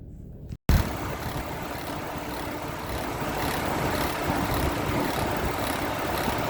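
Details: 2006 Chevy Trailblazer, engine running: rough, gritty whir and faint hiss repeating about once a second from the alternator; mechanical failure of the alternator pulley.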